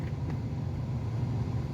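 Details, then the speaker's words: Toyota Sequoia V8 warmed up on test drive after heat shield, valve cover gasket and front right brake caliper work: smooth, low steady rumble, no heat shield rattle or misses; engine running healthy. "i don't hear any rattling underneath the car from that heat shield anymore um engine doesn't skip a beat it's just running like a top and uh the brakes feel good so i think that's just about it for this car"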